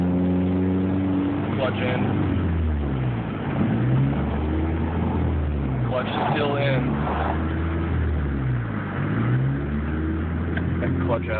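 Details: 2004 Dodge Neon SRT-4 while shifting through fourth, third and second with the clutch in and out. Idle pitch wanders up and down and won't settle; erratic idle, possible vacuum leak suspected, not confirmed.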